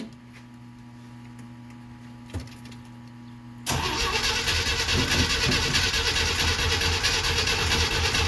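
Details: 1969 Jeep Willys CJ5 cold start after sitting about 7 months over winter, battery recharged and jumped, choke partly in, pedal floored and primed: slow cranking for a few seconds, then it catches and settles to a smooth idle; hard starting after long storage.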